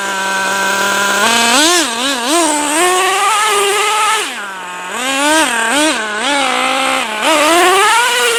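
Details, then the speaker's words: Traxxas T-Maxx 3.3 nitro RC truck, first start after 8+ years stored in a shed, 20% nitro fuel: high buzzy engine revs cleanly and pulls strong in second gear, spinning all four tires on cold, wet ground; normal running under load. "they start it up and it runs damn near perfect snow after spins all four tires just second gear like like it's brand-new it's very cold out so the tires aren't getting much traction"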